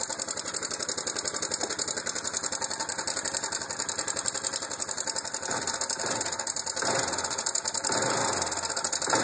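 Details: Fast, light metallic engine ticking running steadily over a faint engine; owner unsure whether valves or timing chain.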